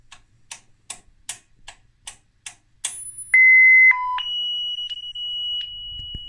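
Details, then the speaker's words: Self-test failure on a circa-1994 Schlumberger Stabilock 4040 radio test set (6802 CPU) at power-up after power supply repair: about eight soft clicks, then a string of loud, steady high beeps at changing pitches. "so that's definitely a self-check problem"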